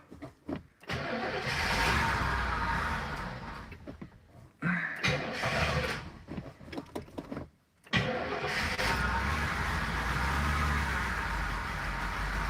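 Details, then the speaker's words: V8 with a four-barrel carburetor on a split-plane manifold, first start in 30 years, primed with fuel into the bowls and intake. It cranks, catches, stumbles, then settles to a thin, uneven idle: running very lean and repeatedly running out of fuel. "it's lame and um it keeps running out of fuel right so the bright side is as long as it's got fuel in it it runs like that's a victory"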